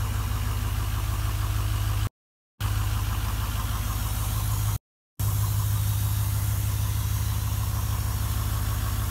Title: Hard start video 3